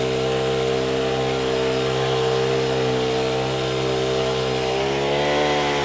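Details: Honda WJR4025 backpack sprayer, GX35 four-stroke petrol engine, spraying; steady, smooth mid-pitched drone with slight speed change near the end, no knocks or misfires. Praised as smooth Honda sound; healthy normal running under load.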